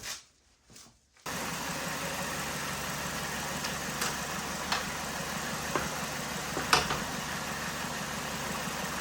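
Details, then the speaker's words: Used replacement cooling fan plugged in with engine idling on a 2005 Honda Civic Hybrid whose original fans failed: steady, even airy whoosh, smooth spin, no rubbing or ticking; normal cooling fan operation. "And since this plug is up so high, I'm going to start the car and plug that fan in and see if that fan works."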